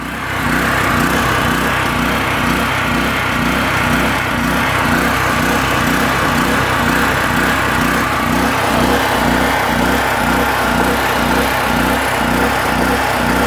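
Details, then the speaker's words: PowerSmart PS44 3000W generator that sat unused since 2017, unloaded, on choke with old fuel: single-cylinder engine with an uneven, loping beat about twice a second; rough running, cause unclear. "I'm not concerned about bad fuel. It's running. We could always fill it up when we need it with fresh fuel, and hopefully the bad and the good weigh itself out."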